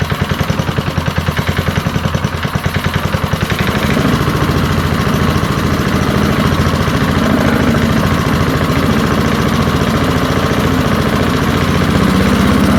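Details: Early-1970s BF Goodrich push mower, a barn find that sat for years with a seized engine, now freed and running outdoors after carburetor diaphragm work: quick, even single-cylinder firing that settles into a steady, faster run with no misses or knocks. Normal running.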